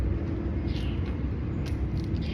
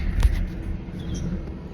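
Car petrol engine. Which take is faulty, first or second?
second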